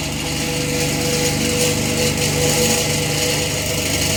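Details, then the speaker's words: Old electric fan whose damaged blades need a lot of work; uneven rattling knocks two or three a second over rough whoosh as it keeps bouncing around from blade imbalance. "I don't think we're gonna continue this on because this fan needs a lot of work with the blades and it just keeps bouncing around"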